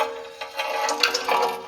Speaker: Well, if anyone else out there has a 2023 Honda Pilot and it's making a terrible screeching noise, you most likely picked up a rock in between this metal bracket and this disc here. And you can hear that rock in here.